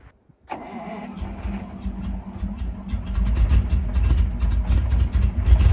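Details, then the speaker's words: Ural military truck (Soviet V8) at -8°C, after fuel starvation problems: catches after a short crank, then settles into a deep, even V8 rumble that steadily builds; healthy running. "Well, that did it. I love the engine rumbling sound of the Soviet V8. Both the Zil and the Ural sound wonderful."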